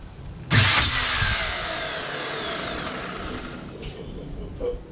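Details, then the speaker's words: Ryobi line trimmer motor run with cover off after brush check (one brush sparkier); motor whips up instantly to strong even high whirr, plenty of power, healthy; earlier dodgy-bearing noise and power loss suspected in gearbox. "like it's got plenty of power enough powder just about throw the motor out of here so that looks fine"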